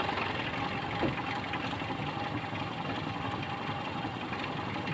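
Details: Toyota Kijang that showed indicator lights but would not crank, after cleaning battery terminals, cables and checking relay: steady even engine note, no knocks or misses; starts and idles normally, fault was cables, not battery or starter.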